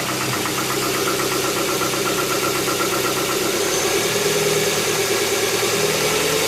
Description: Tucson 2.0 16 v gls 2007 com barulho no motor, quando liga de manhã faz o barulho, quando anda uns 10 km some o barulho o mecânico me disse que é tuxos ainda nao tenho certeza mas gostaria de uma opnião de mais profissionais antes de gastar dinheiro.